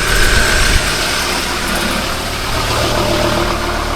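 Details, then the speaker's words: Ford Ranger Wildtrak 3.2 diesel after turbo gasket replacement: steady, even idle with a low smooth hum, no hiss or chuff from the exhaust side, no longer making noises; normal idle. "Not making noises anymore, babe. Shut the bonnet, be even quieter."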